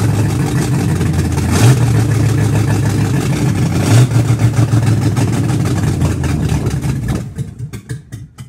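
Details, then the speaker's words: Car "Betsy" after camshaft break-in and new starter: idles rough from the start, about 100–200 rpm higher than before, and when revved runs unevenly for about two seconds then slowly dies; stalls after revving. "then everyone Revit Revit give a gas and then just die like and slowly dies out it may be like after I revered oils for like two seconds and then dies"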